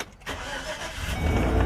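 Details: 2014 GMC Savana (Chevy Express) restarted after repair of its crank-no-start and P0230 fuel pump relay control circuit code, new fuel pump and relay fitted: brief crank, engine catches quickly and settles into an even run, clean healthy start.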